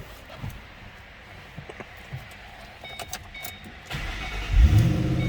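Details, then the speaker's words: 2007 Ford Mustang Saleen Heritage Edition H-281 V8, under 10,000 miles (9,904), started from the interior: short crank, then a deep, strong low rumble as it catches cleanly; normal cold start. "All right, check out this interior a little closer. I'll fire it up too so you can hear it run."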